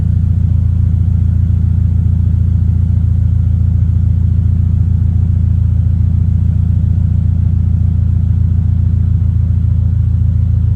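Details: 2023 Toyota GR86 just after installing an aftermarket exhaust (transcribed "NVIDIA 1") in place of OEM. Deep, even low drone with smooth, steady firing and no rasp, rattle or blowing. Healthy exhaust note.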